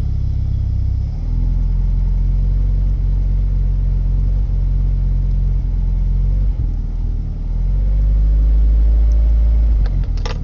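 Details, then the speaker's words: 1990 Nissan 240SX four-cylinder after all four injectors were replaced: the idle hunts up and down and never settles, and it stumbles on throttle; it idled fine at about 800 before. MAF was cleaned, TPS checked and no vacuum leaks found; cause unknown. "you can see it varies up and down before the injector went it would idle at about 800 no issues changed all four injectors and this is what happened"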